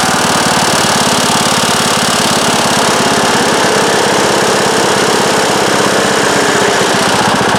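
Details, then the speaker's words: Craftsman riding mower, about 2010, 19 hp Briggs & Stratton single-cylinder, at medium to full throttle: steady drone with a loud fast vibrating tap, absent at low throttle, first suspected as sheet-metal rattle; cause was loose flywheel magnets, fixed by re-gluing. "And it'll start and run, but it's making a loud vibrating tapping noise, and at first I thought it was maybe some of this sheet metal in there rattling against the side of the engine."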